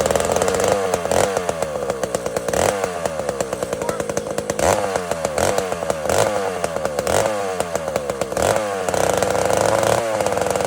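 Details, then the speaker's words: Cold chainsaw is smoking and sounds flat and sluggish, bogging until the throttle is cracked, then revs sharply and repeatedly as it clears; cold engine bogs until warmed up. "listen to this saw it's smoking it's kind of bla until it till it till it cracks the throttle and it finally goes WAP WAP you'll hear it"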